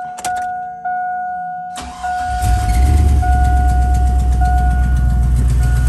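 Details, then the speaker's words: 2001 Chevy Silverado 1500 5.3 after repairing the exhaust leak with manifold sealer: chime pinging, then the engine catches and settles to a steady, even idle with no puffing or ticking. Misfire and bank 1 and 2 lean codes were traced to a cracked EGR tube. "sounds like no more exhaust leak to me, baby. Yep, if it was still there, it would have done something goofy by now."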